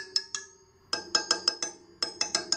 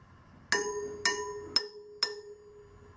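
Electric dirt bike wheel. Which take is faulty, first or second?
first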